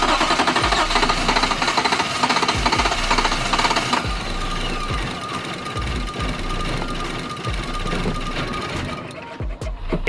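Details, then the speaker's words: 2019 Nissan Titan V8, previously starting fine: starter cranks steadily for several seconds but engine never catches; battery drained by cranking, owner suspects possibly fuel-related issue, charging overnight to retest. "uh but now I'm having an issue when starting it turns over but it doesn't actually start let me show you what that sounds like"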